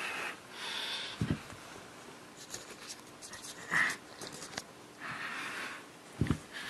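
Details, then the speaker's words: Monoprice 8-inch subwoofer with breathing issue, before cable swap: soft irregular puffs every couple of seconds with no signal playing, not from music; owner blames the cable. "you hear you hear the breathing the chuffing right it does not even for music"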